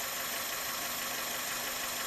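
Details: 2002 Toyota Corolla at idle: constant harsh hiss and whirr over a steady low hum, first suspected to be the alternator; cause was a weak belt tensioner pulley letting the serpentine belt run too loose, and replacing it helped.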